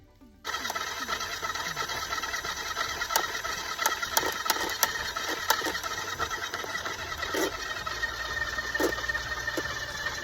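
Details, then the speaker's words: Garvee 50 ft x 5/16 in drain cleaner feeding cable into a drain: motor hum runs strained, with irregular clanks and snaps as the cable catches. The motor sounds overloaded; owner suspects mud or roots. "That motor sounds like it's under too much load, so I'm going to go ahead and pull back now and see if I can pull out maybe mud or roots or whatever it is."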